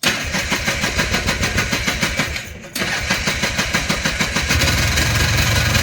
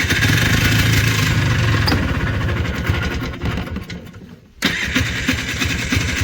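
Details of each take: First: Polaris Trail Boss 250 two-stroke, just revived: pops unevenly at about three beats a second, stumbling and barely holding idle. The owner suspects the carburetor idle circuit is still plugged and plans more carb work. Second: Polaris Trail Boss 250 two-stroke ATV (titled 2000, owner guesses 1988 or 1992), running outdoors in cold weather after carburetor work. Crisp, even buzz with a short drop that picks right back up. Now runs cleanly, back to life.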